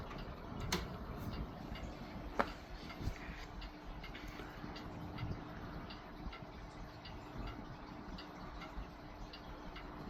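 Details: Vintage Lakewood Country Aire C-720-3 three-speed box fan with big Westinghouse motor, started on low: quiet steady low hum with faint air hiss and light ticks; motor running smoothly, normal.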